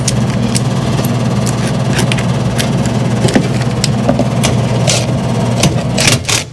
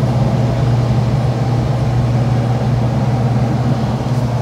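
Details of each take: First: 2013 Lennox AC system with a previously replaced blower motor: loud steady low hum with a rattly vibration; the noise is traced to the blower motor, shaking from a weak run capacitor. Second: Lennox air handler after maintenance: smooth steady low hum and even airflow rush with no rattle; return previously rattled, now fixed and quieter.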